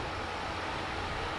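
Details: Truper 750W power inverter used for home backup during outages, after maintenance to fix a fan noise: a steady, even airy whir with no rattle, ticking or buzz. The cooling fan now runs healthy.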